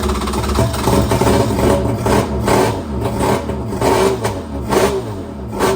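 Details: Krash jet ski swapped to a 701 two-stroke engine, started on land with a little gas: catches and picks up cleanly on several short throttle blips, falling back each time; healthy.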